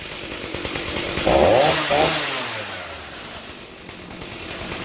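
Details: 2003 Stihl MS 290 Farm Boss chainsaw, 56.5cc, rebuilt from a box of parts after cleaning clutch and air housing: snaps up to a high rev with a clean rising scream, then winds smoothly back to idle; normal revving.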